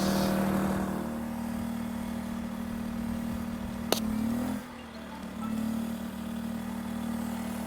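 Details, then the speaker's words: 2,000-watt generator on non-ethanol fuel powering a Bestarc flux-core MIG welder set to 70 amps. Steady drone, then a sharp crack as the load hits; the engine sags, drops off and struggles: the welder instantly overloads the generator. "Wow, that instantly overloaded this generator."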